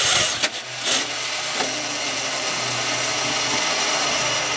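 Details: Dodge D200 truck after wiring and fuel work, cranking with starting spray: starter spins the engine at an even pace for several seconds but it never fires; crank, no start, cause suspected, not confirmed.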